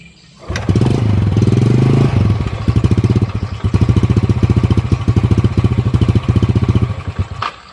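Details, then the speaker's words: Yamaha Jupiter motorcycle that won't idle, dies when throttle eased even after air and idle screw adjustment: a few single fires, brief rev, then uneven sputtering fading out within seconds; stalling from blocked pilot jet. "jadi ketika dinyalakan seperti ini ya kita Nyalakan seperti itu harus dengan posisi tegas kalau gas saya turunin dikit aja langsung mati"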